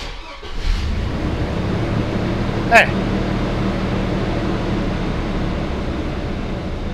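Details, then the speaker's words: Chevrolet S10 Blazer after repair of a starter that scraped and ground during cranking, starter reinstalled: a quick, clean crank with no scraping or grinding, then the engine catches and settles into an even idle. Normal starter cranking. "acho que é isso aí né não tem o que o que falar dessa partida né tá muito boa"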